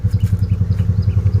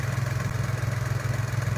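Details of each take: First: Nissan Almera/March, about 12,000 km: lumpy idle with uneven stumbling beats and engine shaking, check-engine light on; suspected leaking ignition coil not supplying full spark, cylinders not all firing. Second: Nissan Almera/March idling after replacing the ignition coil: low even hum with a steady pulse, no stumbling or shaking, the earlier misfire gone.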